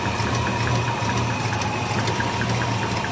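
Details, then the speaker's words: Squarebody truck V8 after valves were adjusted to zero lash with no preload, running better: steady idle with a faint repeating light tick or clank from one side. Owner suspects a wrist pin, or an exhaust leak at the gaskets or collectors. "Just one thing I want to show you. You hear that clank? [Music] [Applause] I think that's a wrist pin. Sounds like it over here."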